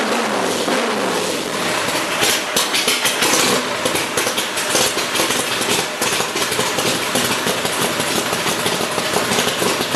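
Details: 427 Cobra with a DFI Gen 7 EFI system at first start-up, oil pressure, coolant, fuel pressure and electrics checked; starter whirr drops away, then the V8 catches and settles into a loud, busy idle with no knocks, a healthy start.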